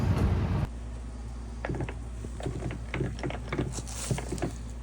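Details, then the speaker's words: Tremec TKX gearbox after first-gear failure at the drag strip, metal in the fluid, turned by hand in neutral: uneven metallic clicks and crunches about four per second, locking up; noise changes with gear; suspected broken internals. "I don't sound too good no that's a nutal it's locking up yeah it does change with the gear every gear change but I mean that don't mean I guess too much cuz it could just be stuff flying around in there this point"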